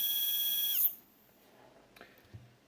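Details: Stepper motor on a Duet-driven 3D printer Z-axis (acceleration 120, feed rate ~1000–2000, 2 A current), vibrating since a stall while lowering the bed with three parallel motors underpowered; a high, shrill whine rings under a second then cuts off. Cause unknown.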